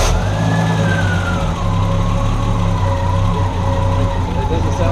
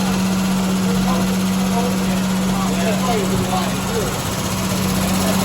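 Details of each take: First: 1974 Triumph TR6 after carb balancing, carb adjustment and timing adjustment for backfiring, smoke and run-on; low, steady idle rumble with an even beat and no stumbling, running cleanly. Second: 1974 Triumph TR6 with backfiring, smoke, run-on and a low-compression third cylinder, cold on choke before carb and timing adjustment; steady fairly quick idle with a constant hum.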